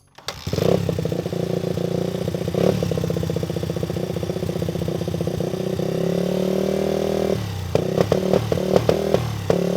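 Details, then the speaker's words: 2001 Honda XR80 single-cylinder dirt bike running rough with uneven, stumbling beat and ragged throttle blips; carburetor needs rebuilding. "I'm going to show you guys how bad this thing runs carburetor is definitely in need of some attention"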